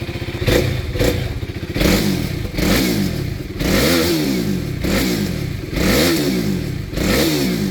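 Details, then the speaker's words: KTM 390 single-cylinder engine swap, first start on jumper pack; several blips each rising and falling cleanly with no knocks or rattles; running good, normal. "It's done. It's running good, man."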